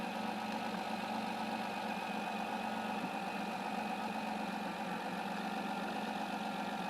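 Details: 2009 Dodge Grand Caravan SXT after hose replacement for an engine-smoking problem, refilled with 50/50 pre-mixed antifreeze and started to check for leaks: steady, even idle with a smooth hum, no misses, knocks or squeals, and no leaks seen; normal idle.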